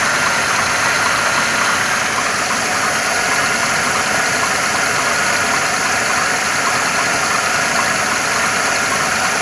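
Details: 2.2 engine (111 motor) at idle: fast light tapping knock at roughly three per second under the engine noise; source unclear, owner asking for help.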